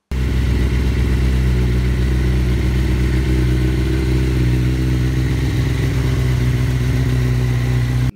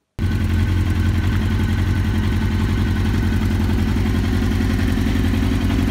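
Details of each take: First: Suzuki GSX-R1000 K1 inline-four after service and wiring repair for rough running and power loss, fast idle on choke while warming up; steady, even, smooth deep exhaust note with no ticks or misses. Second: 2001 Suzuki GSX-R1000 K1 with rough, lumpy idle pulsing three to four times a second like a V-twin chopper and no power on acceleration; caused by out-of-sync throttle bodies and a clogged fuel supply.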